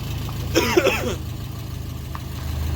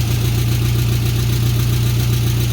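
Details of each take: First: VW Beetle air-cooled engine running after an oil pan replacement following a holed pan and metal found in the pickup: low, even idle with no knocking or rattle; the engine is fine, though an exhaust leak is noted. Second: VW Beetle after replacing an oil pan broken by bottoming out, metal found in pickup: steady low idle with a fast even puffing tick and slight clatter; an exhaust leak, engine probably building oil pressure.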